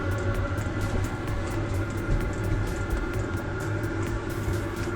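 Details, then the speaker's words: Chinese 2 kW diesel heater on a test stand, started unprimed and exhausting into a wood burner, run with no muffler. A steady roar with an even, rapid fuel-pump ticking shows it has lit once fuel reached the burn chamber and is burning evenly. "yep yep yep it's roaring to life I can hear"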